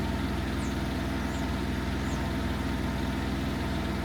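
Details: Hobart Champion Elite 225 welder engine at a steady, even idle with smooth regular firing and no misses or surging. Its fault was slow rise to high idle when striking an arc, worked on via the idle solenoid.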